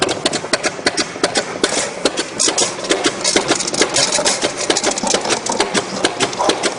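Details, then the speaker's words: StreetPrint Rapid Sprayer II (RS2) pump flushing clean water with recirculation line pulled out, speed turned down to save wear: slow, even ticking about two strokes a second with no knocking or grinding; normal healthy slow running. "by slowing the amount the pump speed with the water we can save save a little bit of wear and tear on the pump by not having it tick over as fast"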